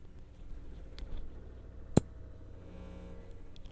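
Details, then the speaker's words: Lafayette LR-441 quadraphonic receiver switched on with the microphone placed next to the speaker; faint hum, then one short sharp pop that dies at once; the normal power-up thump, not damaging. "that's really all there was to it that tiny little sound that was it"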